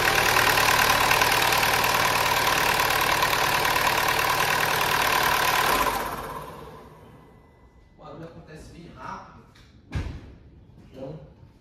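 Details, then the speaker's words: Peugeot 3008 THP, first cold start of the day after sitting overnight: loud harsh chain rattle for about 2–3 seconds then stops, worse when cold; worn timing chain kit, to be replaced. "no caso a gente vai precisar dar partida nele e assim ele vai funcionar porém vai fazer um barulho de chacalha um barulho bem forte durante pelo menos uns 2 3 segundos e ele para"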